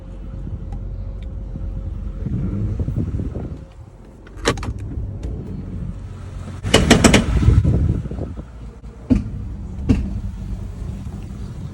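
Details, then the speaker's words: 2004 Jeep Grand Cherokee under light acceleration: engine rumble with loud irregular metallic clacks in short bursts; owner, not a mechanic, suspects the transfer case drive chain is slipping or worn and needs replacing. "I'm not a mechanic, but I've got a 2004 Jeep Grand Cherokee. the transfer case drive chain is slipping or worn out and needs replaced."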